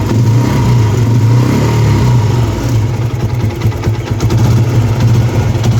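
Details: TVS Apache RTR 160 after replacing the timing chain tensioner assembly to cure engine noise: steady, even low thrum at idle with no ticking or rattle from the top end; the motorcycle now idles clean.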